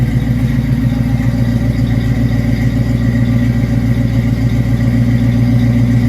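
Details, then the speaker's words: 1979 Chevrolet Camaro Z28 V8, Hurricane Ida flood car, first start after carburetor refit: steady, even idle burble with regular low pulse, no knocks or misses, exhaust dried out; healthy normal idle before oil change. "And there she be. Now we can get a little bit better idea of how well she runs. Looks like the exhaust has dried out."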